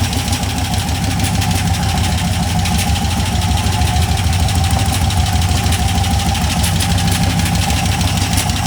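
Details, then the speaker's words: Cheap LS 4.8 LR4 V8 on a run stand: fast metallic knock over idle that grows harsher when revved; owner suspects a lifter coming apart or a piston letting go, unconfirmed before teardown. "yeah so there's definitely something moving around in there probably a lifter coming apart it sounds pretty fast to be lifter it could be the uh a piston letting go"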